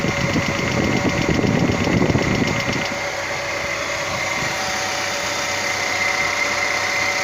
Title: Стук гидрокомпенсаторов.